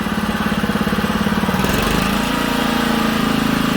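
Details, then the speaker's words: Old Honda HRA215 SX self-propelled mower after carburettor cleaning and fresh high-octane fuel, started on choke: even, steady putter that holds its beat when the blade clutch is engaged; normal, healthy idle. "So we put it to choke to start it. It idles real nice too, guys."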